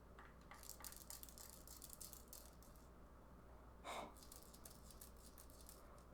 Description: When I shake my Xbox controller, it makes a random sound